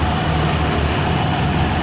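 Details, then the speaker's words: Honda Vario 110 FI scooter after crankshaft re-trued and left crank bearing housing repaired, fan refitted: steady even low-hum idle with no knocks or wobble; bottom end smooth again after repair. "kembali halus Kang Bro sudah kembali normal"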